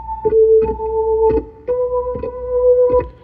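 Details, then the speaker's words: Hammond B3 MK1 organ with dirty busbars and pedal contacts, before cleaning: notes crackle and scratch as keys go down, with unsteady tone across several keys. "And you can hear it on several keys. Yeah. So we're going to take this apart, clean those bus bars, and then we're also going to put new pads on the pedals as well."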